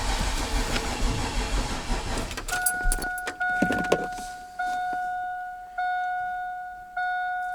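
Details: Chevrolet Silverado with freshly built turbo 6.0 LQ9 V8, first start attempt: labored, uneven cranking that never speeds up, then warning chimes; weak 2017 battery, later replaced.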